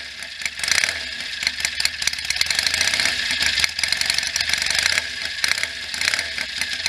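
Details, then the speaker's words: 1967 BSA A65 Hornet 650 twin, sat 43 years, fully rebuilt (new pistons, rings, bores, valves, electronic ignition), started stone cold, still burning off assembly lube: easy starter with an even, crisp twin beat and no misfires; runs great. "it's been sitting and it's a easy starter it sounds like it runs great"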